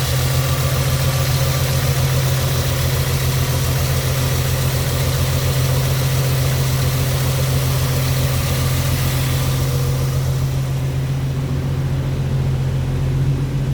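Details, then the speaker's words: 1964 Ford F100 with automatic transmission, old six-cylinder: fires right up without gas pedal, steady even low idle, smooth regular beat, no knocks or misses; healthy. "it does fire right up and we can hear it running no gas pedal needed fire's right up it runs nice and"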